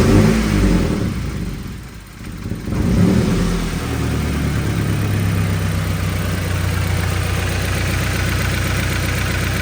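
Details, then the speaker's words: 2013 Subaru Impreza 2.0 non-turbo after misfire diagnosis found spark tracking to ground from spark plug marks, codes cleared: steady, even engine note with smooth low rumble, no skips or stumbles; running cleanly. "Se volvieron a borrer los códigos lo echamos a andar y parejito vamos ech andar para que ustedes lo vean"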